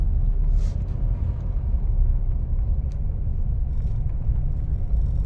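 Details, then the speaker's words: Mitsubishi Montero test drive over road humps after fitting insulators to the rear coil springs, which had been knocking: only low, even road rumble with no clunks or knocks from the rear; noise gone, suspension quiet. "natin ng maigi ano Sir nawala nawala na sir doon sa pagkan natin sa Evangelista sir"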